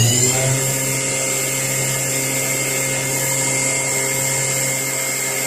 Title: QP 2440L Spindle Running Abnormal Sound